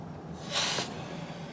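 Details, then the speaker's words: Midland Ross brake booster, rebuilt a couple of years earlier, on a 1970 Charger with drum brakes, owner reporting noise: a brief sharp air-inrush hiss on pedal apply; normal booster operation, no leak. "now listen as the reserve goes down like the second or third or fourth apply we don't hear the in Russian air increase"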